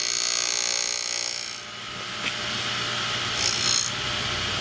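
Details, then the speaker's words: DEFU key duplicating machine: a high, steady cutter whine with short scraping surges as the blank is fed along the guide into the first valley, without forcing the cutter; an ordinary, even cut. "we want to get it started on the guide and you don't want to hear that cutter cutting until he hits the first Valley there"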